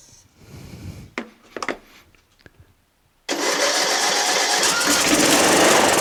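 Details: John Deere L100 lawn tractor, 17 HP Briggs Intek OHV, new stator, starter, magneto and battery, on choke after starting fluid: a few clunks and cranks, then the engine catches and settles into a steady, even run with clear exhaust note; normal running.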